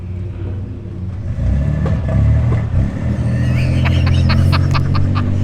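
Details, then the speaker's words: 1988 Toyota Pickup, tires leaking air, awaiting suspension and regear work; engine pulls away with an uneven, stumbling beat, about three to four irregular stutters a second under load; misfiring. "Y'all hear the misfires?"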